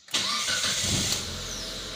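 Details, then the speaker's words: 2006 Mitsubishi Lancer, 4G18/4G15, 265,000 km, intermittent hard start with no codes; switched off and restarted: quick crank catches at once and settles into a steady, even idle; the restart is healthy, the fault not reproduced. "this vehicle has 265 000 kilometers on it so the vehicle starts back really well so I'm not sure exactly you know can fix was not broken"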